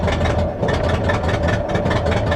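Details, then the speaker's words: Salvage truck with 256,000 miles at start-up: an uneven, lumpy idle with a deep, pulsing exhaust beat that surges irregularly; it runs rough and smells of straight exhaust, and the catalytic converters are suspected to have been cut off, not confirmed. "all right you know what um that doesn't sound good that doesn't sound good at all oh wow smells straight exhaust under here guarantee you somebody somebody probably chopped the cats off of it"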